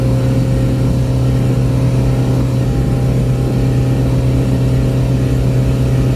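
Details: Boat outboard, back on after repairs, trimmed and run wide open on the lake near 5000 rpm and about 50–52 mph, above its 3500–4000 rpm cruise; mic behind the windshield. A loud, steady, even drone with no knocks: a normal full-throttle run.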